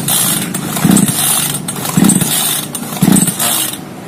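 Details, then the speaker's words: Small chainsaw that is hard to start, switch on and choke pulled: three quick pull-cord strokes, each with a brief chug, but it never fires or catches. "Saklarnya sebenarnya sudah menyala. Namun, mesinnya tetap tidak mau menyala. Tuas choke sudah ditarik. Oke, masih belum menyala."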